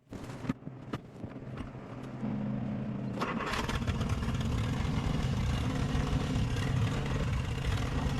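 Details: 1955 Jeep Willys Wagon revived after long storage: clicks and cranking, then it catches at about two seconds and settles into a steady, even run without misses; normal running.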